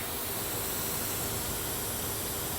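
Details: 2005 Duramax LLY diesel truck, engine off, boost tester feeding shop air into intake plumbing during pre-tune inspection: constant sharp hiss of escaping air; significant boost leak.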